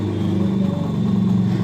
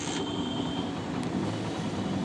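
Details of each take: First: Hero Honda Splendor Plus after a new timing chain replaced a loose one to cure an engine noise; steady, low, even idle hum with no knock or rattle, any remaining sound attributed to the uncovered magneto side. Normal idle. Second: Hero Honda Splendor Plus single-cylinder engine running with magnet and coil plate removed: loud, busy, uneven metallic clatter from a loose, slack timing chain.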